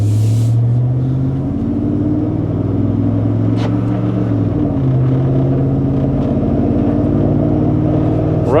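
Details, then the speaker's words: 1999 Chevrolet 1500 with 5.3 V8, restart after crank-no-start repair, before test drive: engine catches straight away, settles into steady even low rumble without misses or knocks; normal idle, likely confirmed fix. "good it starts right up I think this is going to be a confirmed fix"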